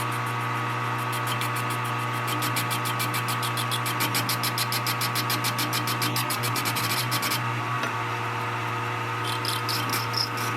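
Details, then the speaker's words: Lathe dry run on a junk part during a 1960 John Deere 1010 diesel rebuild, using a narrow parting tool ground on a belt grinder: steady spindle hum with a rapid, high-pitched chatter that fades as the tool deflects. Parting tool chatter. "that's why it's good to do a dry run on a junk part it's uh it's deflecting away when I try to cut this Edge I'm not really sure what to do about that"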